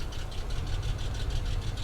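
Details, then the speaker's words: Salvage-auction car, warm idle, good cooling-system pressure and no water in the oil. A rapid, even knock over the engine note, deeper than a lifter tick, with rough running. Owner suspects a wrist pin or something in the lifter valley. Knock of unknown origin. "it will make noise like this and it will run rough like this it could be a wrist pin but something tells me it's it's gonna be somewhere in the lifter Valley"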